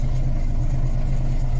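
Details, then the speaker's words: Volvo B10M diesel idling after Bendix AD-2 air dryer rebuild; steady low rumble, no longer leaking air from the governor, tinkling noise gone, dryer not leaking; waiting for it to unload. "But it's no longer pissing air out the governor, so... and the tinkling noise has gone. The air dryer doesn't appear to be leaking."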